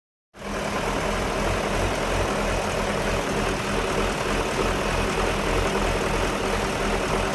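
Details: 1999 BMW 540i V8: rough idle with an uneven, lumpy beat, the steady rhythm wavering instead of running smooth.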